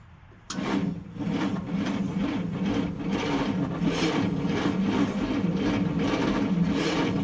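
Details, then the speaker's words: 1955 Dodge Super Red Ram Hemi, about 70 years old, cranked with plugs and plug wires back in, firing order set by the book, and the carburetor full of gas: even, rhythmic cranking with strong, regular compression pulses, not yet firing; healthy cranking with compression. "Now that's what it sounds like with compression."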